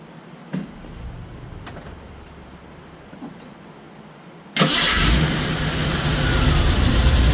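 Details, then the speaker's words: First start after Weber carburetor rebuild (new gaskets and O-rings for a top-plate fuel leak, float reset to factory level), air filter left off: quiet clicks, then engine catches at once into a full, even idle with no stumble or misfire. "we're gonna leave the filter off for a few minutes and then trying to start it up see if it needs any adjustments"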